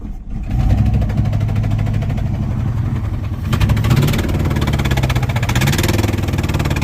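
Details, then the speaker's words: 1979 Dodge truck, sat over 10 years with an engine problem, finally idling: lumpy, galloping idle with a regular miss audible in the exhaust; one dead cylinder. Not expected to clean up; a new engine is being built. "hear the exhaust, you can hear the miss. It's pretty bad. So it's got a dead hole."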